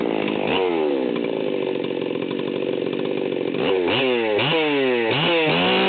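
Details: Stihl 038 Magnum chainsaw, fully assembled, at high idle/full throttle without a load: flat-out scream that burbles and breaks up unevenly, about 14,000 rpm; high-speed mixture set super rich, deliberately, for break-in.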